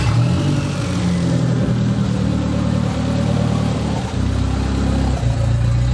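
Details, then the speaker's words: The "200", bad misfire persisting after ignition work, exhaust cut free: idle with an uneven, lumpy beat and brief sags as if about to stall, then recovering. Misfire at idle, cause not found. "we're continuing to break the ignition system on the 200. as we've still got a pretty bad misfire after all we've done"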